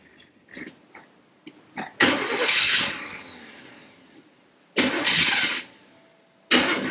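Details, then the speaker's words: 1979 Corvette small block with a mild cam, which has been sitting: cold start with several cranking bursts, then it catches and runs briefly before dropping off. The choke isn't closing; the engine otherwise sounds healthy. "Yeah, choke's just not closing. Man, that motor sounds healthy."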